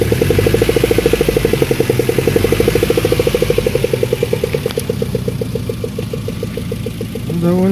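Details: Daewoo Nexia 1.6 at cold idle, -17°C: a steady metallic knock about three per second inside the engine. Cause unknown; shops said it is not the hydraulic lifters or crankshaft, and an oil change was suggested.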